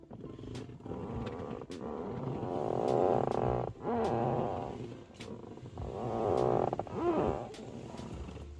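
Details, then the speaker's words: Passenger leather car seat squeaking as someone shifts: two long rasping fart-like creaks caused by the foam under tight leather rubbing on the seat frame bars. "Those sounds are normally associated with leather seats, and you assume that it's the leather that's making the sound. It's not really the leather that's making the sound."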